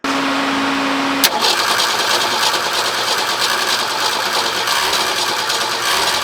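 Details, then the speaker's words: Forklift engine first start after fitting a new carburetor, choke disconnected: brief cranking, then catches at once and settles into a steady even run with no stumble; runs normally after carburetor replacement. "Well, that was fantastic. Little anticlimactic, but really fantastic. Runs great."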